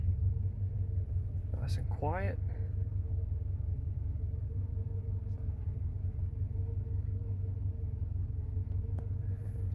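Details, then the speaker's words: 1983 Mercedes 380 SEC (W126), idling a couple minutes indoors after weak-battery start, following sunroof gear replacement; low smooth even rumble, no knocks or ticks; normal warm idle. "that's a great sign got the old girl running here she's been idling for just a couple minutes now inside"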